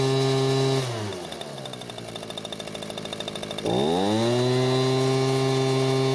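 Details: Echo leaf blower after carburetor work and filter base replacement: revs down, brief sputter at low speed, then clean steady high run; no fuel leak, choke works, running normally.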